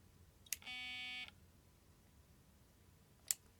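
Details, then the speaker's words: Nikon Speedlight SB-700 after being dropped, held close to the microphone: sharp click, short high beep, another click, then an error on the display; zoom head stuck because the zoom motor axle's plastic bearing came out of place. "We do it again. And then this error comes in the display because something in here is stuck."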